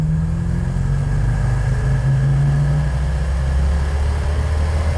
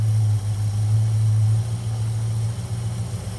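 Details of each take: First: Plymouth Road Runner V8 after budget power upgrades, floored from low speed on the road: the deep V8 note sags and then climbs slowly and heavily. Engine bog on wide-open throttle. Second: Plymouth Road Runner V8 with points-type distributor ignition at idle after total ignition advance was raised from only 20°, which was far too little: deep, steady burble that smooths right out into an even beat, sounding healthy.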